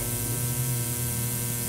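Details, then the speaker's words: eBay ozone generator wired to a line cord and plugged into 110 V AC mains: constant low buzz with fine hiss from corona discharge on the ceramic plate, with strong ozone odor; working normally. "you can hear the buzzing that buzzing sound it's actually coming from the corona on the ceramic plate"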